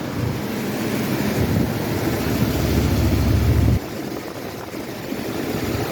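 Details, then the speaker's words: 1982 Pontiac Grand Prix, original 3.8 V6, idling just after oil pan gasket replacement, with a fan blowing on it: steady low rumble with even beat, no knocks or ticks; exhaust sealed, oil pan looks good, running healthy. "Oh, I got lucky. The exhaust sealed up the first shot. Oil pan looks pretty good."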